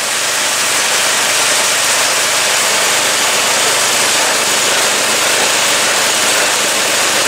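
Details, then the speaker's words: Snow blower repowered with new Predator 212cc 6.5 hp engine: even, unbroken single-cylinder idle with a hissy edge, no stumbling, misses or knocks, vibration no worse than before; engine running normally after upgrade. "Everything seems to be working. The engine's running pretty good. Listen to that idle. And it's not vibrating any more than any other engine did on there."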